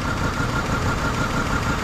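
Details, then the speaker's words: 2008 Hummer H3 idling with shorted ignition coil number 5 unplugged, as it blew fuse 33 and caused a crank-no-start. Lumpy idle with a dropped beat in the low thump every cycle, missing on one cylinder until the coil is replaced. "Papalitan natin muna yung coil tapos Ikabit natin yun Medyo ganyan yan medyo dahil hindi nga gumagana yung isa"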